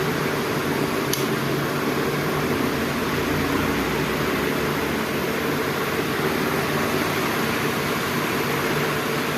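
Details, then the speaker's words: DC pedestal fan that ran on only one speed, after rewiring the speed selector connections, on setting 2 with slightly reduced speed: even airy whoosh and smooth motor hum, no rubbing or rattle. Normal running. "ये 1 पे full speed पे अभी चल रहा है। अभी 2 पे थोड़ी सी स्पीड कम हो"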